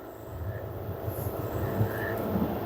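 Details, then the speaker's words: LG F1280QDP2 front-loading 6kg washer/3kg dryer after main PCB power IC repair, spin climbing past 1,100 to 1,200 rpm maximum: low steady drum rumble and even direct-drive motor hum, no knocking or scraping; healthy spin. "1,100 1,200 it is maximum rpm that's mean is showing 1, uh200 120 mean 1,200 maximum rpm"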